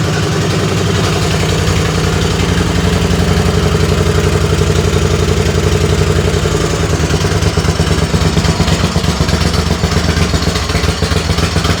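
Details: Race tractor engine started after wiring the coil ground-out kill wire: heavy, loud, lumpy fast idle with a rough clatter in the background, a belt flopping around; exhaust very loud, later quieter and manageable.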